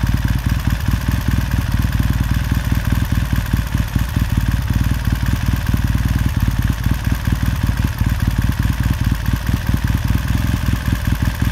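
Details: 1969 Triumph T100C after rebuild, started cold on one kick: steady, even twin-cylinder beat with quick regular pulses, no knocks or misses; normal healthy warm-up idle.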